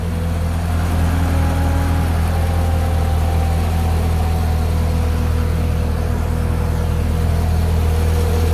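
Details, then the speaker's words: 2012 Corvette Grand Sport 6.2L LS3 V8 idling for 15 minutes during AMSOIL engine flush treatment before oil change to AMSOIL Signature Series: smooth, even low rumble with no knocks, ticks or misses; normal healthy idle. "all right that's all we do is let her idle for 15 minutes i'll let you hear what she sounds like here take a"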